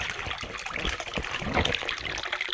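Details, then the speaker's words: Koi pond pump, which was hardly working, now rigged in the middle of the pond bottom away from string algae: strong, steady splashing of returning water with no surging. Good flow restored. "It's on the bottom. We've got really good flow now, and you can hear and see..."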